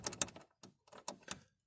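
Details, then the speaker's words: Fiat Tempra door swinging open: a handful of dry clicks and clunks from the worn, loose door check mechanism, which has come apart with play; to be cleaned with WD-40 and packed with thick grease. "sonrasında şöyle bir problemimiz var şurada kapı ses yapıyor açıldıkça şu mekanizma dağılmış"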